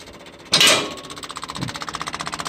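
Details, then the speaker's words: 1966 Clark forklift, gasoline flathead four-cylinder Continental, sat six months, cold start: rapid, even clicking about eight to ten per second changing pitch as the electric fuel pump fills the empty carburetor float bowl while priming, choke pulled. "Changing pitch, so it's starting to fill the float bowl."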